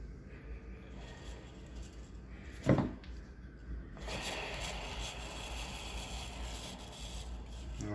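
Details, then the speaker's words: Old worn fan (blower) motor from a 2009-or-earlier Amana PTAC, run before fitting a new replacement motor: a loud, rough, raspy whir and rattle from worn motor bearings, the same noise heard earlier but louder. "you can hear how loud that is and you can tell that's the sound we were hearing earlier it's just a lot louder on this running"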